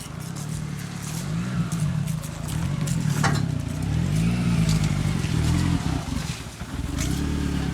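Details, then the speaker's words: Recently bought used car at idle, outdoors. The low idle wavers and dips unevenly, sagging as if about to stall; the owner says it ran better when bought. Rough idle, cause unknown. "sounds like it wants to stall it's yeah oh i don't know maybe i was just too happy that day that i didn't notice it but now i'm like hearing it it was running better"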